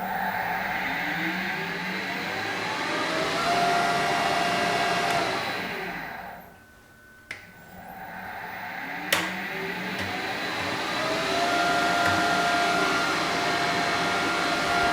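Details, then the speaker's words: Harrison HS170 universal milling machine main motor being serviced: winds up to a steady whine with a coarse rushing roar, coasts down, then runs up again; it sounds dreadful and the motor will be removed, cause not yet investigated. "well it sounds pretty Dreadful doesn't it so that motor is going to have to come out"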